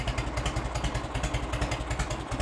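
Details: 1986 Harley-Davidson Heritage Softail, 29,000 original miles, idling after its first start in over 10 years: a deep, loping V-twin beat with steady, even pulses and no misses; it idles cleanly.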